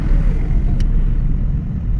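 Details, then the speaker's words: 2001 Toyota Corolla being driven after the front bearings were greased, with a torn-boot CV axle and a non-braking front caliper being dealt with: smooth steady road rumble, and the axle knocking and clicking heard earlier is gone. Normal driving, no axle knock. "You don't hear the knocking anymore? No. We don't hear the axle knocking anymore."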